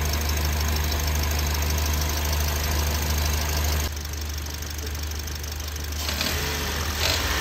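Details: Toyota Yaris engine running with a rough, uneven ticking chatter about four times a second that shifts with revs, from the belt side; drive belt tensioner suspected, replaced as the fix.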